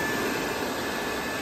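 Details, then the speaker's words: Wood-burning boiler draft fan with its front cover off, after the fire went out from poor airflow: steady, even whoosh and faint hum with no rattle; the fan and air regulator valves (one barely open, one fully open) appear to work correctly. "and it sounds like it's working correctly because this one's got the tiniest little gap of opening, whereas that one's fully open."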